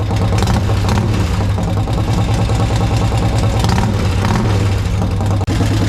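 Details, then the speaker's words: Harley-Davidson 1200 V-twin in a golf cart, running on the freshly cleaned carb: loud, deep, lumpy beat with slight unevenness; owner suspects a stuck float, not confirmed; running idle. "Turn the fuel on now, and I think I have a stuck float. It's easy to take apart, probably fix that. But I want to see this thing run. It should run even with a stuck float."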